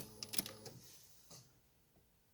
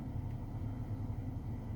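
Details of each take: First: 2008 Ford Focus 2 (facelift) heater blower: a steady fan rush with a thin high chirp on top once it starts, from the squeaking blower motor; the fix is to remove and dismantle the motor. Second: 2008 Ford Focus 2 facelift heater blower fan after removal, cleaning and WD-40 lubrication of its motor to cure a whistle/squeak: low, even hum with no squeak or whistle, at high and minimum speeds; fan running smoothly.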